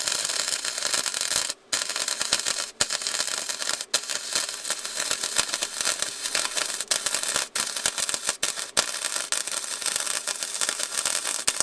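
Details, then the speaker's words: Harbor Freight Titanium 125 flux-core welder repairing a cracked muffler smokestack on a John Deere 210LE loader in cold, bitter weather: constant crisp bacon-like sizzle with brief breaks between passes. A steady, stable welding arc. "The little Harbor Freight job's doing decent for being so cold and bitter outside."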